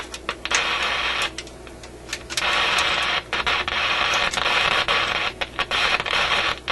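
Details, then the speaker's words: Warmed-up Canadian General Electric KM-5 vacuum tube radio: harsh crackle in the output cutting in and out in distinct bursts; intermittent crackling, suspected heat-related contact fault in the audio output circuit, not yet found. "m kind of sounds like a heat related thing or something he's making contact Heating and then breaking off it's quite a distinct on and off to it"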